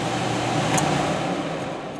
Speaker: okay you can kind of hear um basically how the blower sounded when it was revving up and how it sounds right now as it's running